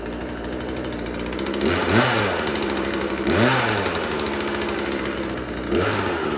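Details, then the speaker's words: Craftsman 36cc two-stroke chainsaw (Husqvarna-made): crisp rasp revs cleanly up and down three times, returning to a steady idle each time; runs real good, healthy. "Throttle depression lever and throttle. And it does run real good."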